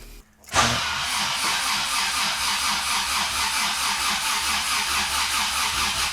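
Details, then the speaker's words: 1987 Honda Civic Wagon RT4WD, first start attempt after sitting neglected for years: starter spins the engine at a steady quick rhythm but it never catches and fires; cranking, no start. "All right, well, that's good. It's turning over."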